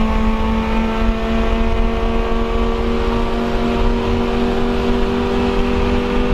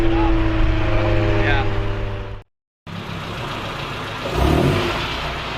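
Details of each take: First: Honda CRX, Spec-D catback with added Vibrant 2.25in muffler and bottleneck resonator before the axle-back, at constant speed: steady, even engine note with a smooth deep drone, no rattles or misses; healthy exhaust. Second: Honda CRX with eBay Spec-D catback, before the Vibrant swap: loud, deep, steady drone with strong low tones at idle and light revs. It sounds like the muffler has no packing inside.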